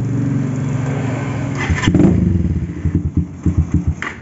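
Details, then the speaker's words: Carbureted motorcycle with fuel vacuum valve after repair: smooth hum drops to slow, even idle with no more low-rpm stumbling; previously wouldn't idle at all from overly rich fueling, faulty fuel vacuum valve was the cause. "Nah teman-teman bisa kita dengar sendiri untuk suaranya tidak brebet lagi ya seperti tadi sekarang di bagian gasnya pun normal"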